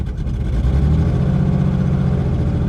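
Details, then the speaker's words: 1984 BMW 633 CSi found at auction, long stored, with half a tank of gas and coolant, oil and spark present: a deep, uneven pulse that wavers and stumbles, kept alive only with throttle; it won't stay running, cause unknown. "She just doesn't want to stay running. I have a half a tank of gasoline."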